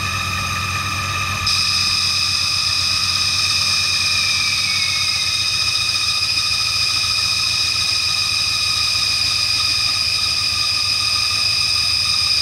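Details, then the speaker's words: 1996 Ford Mustang GT being revived: engine catches on brake cleaner sprayed into the intake and holds a slightly uneven idle with a high whine, but only runs while spraying despite fresh gas, so fuel isn't reaching it. "well it's it's only seems like it wants to run when I'm spraying the stuff in it but hopefully it'll get a little better here"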